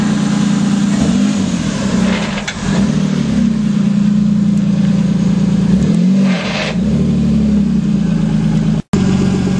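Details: Toyota Supra petrol engine after a small launch at the track holds a steady low drone with odd dips and short hissy swells now and then, an unidentified abnormal noise.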